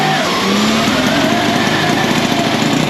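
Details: Gilera 124 single-cylinder motorcycle with electrics needing lots of work, with clutch, throttle and choke worked together: catches and keeps firing with an even, steady beat, no knocks or misses; engine running normally.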